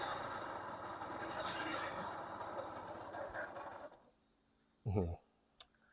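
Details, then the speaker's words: Thai two-stroke moped (Honda Pop style) long parked: harsh, rattly, loud running for about four seconds then cuts out, started before fuel reached carb; owner suspects worn crank bearings; 2T oil line was blocked, cleared. "ไปเพื่อนน้ำมันยังไม่เข้าคาบูแล้วติดแต่ว่าเครื่องดัง"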